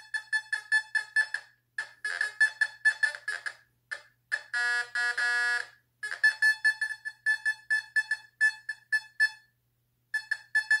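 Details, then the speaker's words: Fisher F44 metal detector air test in Custom mode with user-set tones on a beer can at about 10 inches: rapid bursts of high clean beeps with pauses between sweeps; solid normal target tone. "getting it at 10 inches"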